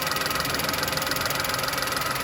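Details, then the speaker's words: VW Polo (code P0068) after repairing the air leak: steady petrol idle with even pulse, no hiss; normal idle, though fuel trims still high. "just make sure I'm not hearing that hissing sound oh I don't believe I am I don't think there I don't think we're drawing in any more air from there"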